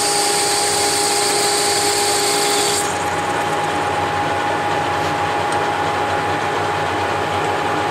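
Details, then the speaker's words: Whacheon 17X40 gap bed lathe with taper attachment, DRO and quick-change tool post, leveled for a test cut in steel: steady, even machining hum with no hesitation or stutter entering that part of the cut; normal cutting. "So as you can hear, there wasn't any hesitation in the part. It doesn't hesitate at all when it came into that part of the cut."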